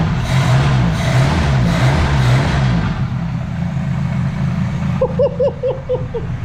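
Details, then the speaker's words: 1972 Ford Pinto Runabout with restored Motorcraft carburettor, mixture screw backed out 2.5 turns: steady, even petrol idle with smooth low throb, no stumbling or popping; idles just about perfect. "that's the way a carburetor's supposed to work, y'all. Pulled it 2.5 out and shouldn't be screaming because it's not loud. I mean, that's idled just about perfect."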